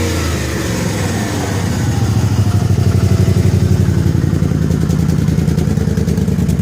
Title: 01 crown vic, exhaust leak, and misfire.